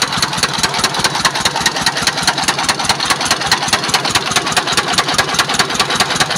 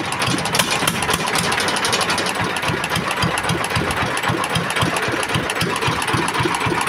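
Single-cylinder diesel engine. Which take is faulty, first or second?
first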